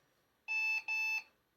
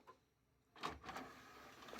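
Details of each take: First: Secondhand bundle PC (i3 4150, 4 GB RAM, Windows installed) at first power-on: two short high-pitched beeps in a quiet room, a possible POST error code; owner unsure, maybe something not recognized or side panel detected. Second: Used desktop PC from a £60 bundle: a brief quiet motor whir with soft clicks and a light clunk as the optical disc drive tray travels. The disc drive works normally.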